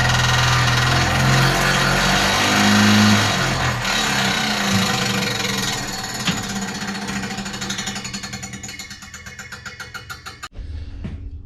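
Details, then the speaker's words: 1955 Willys Jeep CJ-5 heater blower after rewiring to switched power; whirring with steady rhythmic scraping rub that slows on coast-down; not the fan blade hitting housing, heater removed. "Well, unfortunately, I had to remove the entire heater from the vehicle because I could not figure out that noise. And I still haven't figured it out. The only thing I've determined is it's not coming from the fan blade."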